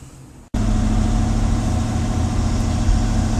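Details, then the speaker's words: Mercedes 450SL V8 converted to MegaSquirt fuel injection, idling: low, steady burble with an even pulse and no ticking or stumbling; runs very nicely, with the air-fuel gauge needle moving slightly at idle. "can see on idle the AFL needle is running up and down a little. And it runs very nicely."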